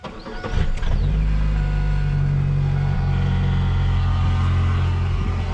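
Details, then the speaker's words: Chevy Cavalier started after reassembly and ground wire tightening: engine catches and settles into a fast idle with a steady low hum and new whining noise not present before; source not pinned down. "up see that noise that whining noise was not doing that before"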